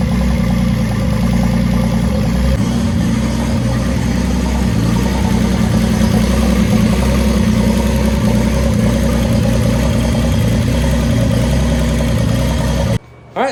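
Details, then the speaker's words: Datsun 280ZX L28ET idling from a cold start, with compression around 124 and an oil gauge on the sender port reading about 50 psi. Strong, steady low-pitched idle with an even beat and no knocks or ticks; a reasonably healthy engine. "I think that's That alone is enough information to know that this is a reasonably healthy engine."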